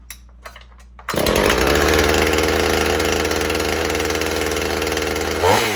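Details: 2007 Husqvarna 450 e-series chainsaw, 50cc two-stroke with 20-inch bar and chain, started from choke after a couple of primer pumps: quiet clicks, then it fires and settles into a steady high buzzing idle with an even beat; healthy, running cleanly.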